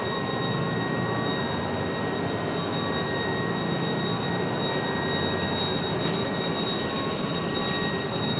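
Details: MAN NL323F A22 Gemilang bus on route, heard inside and outside: several piercing, steady high-pitched whines over the running bus; unusual loud whining noise, source unknown.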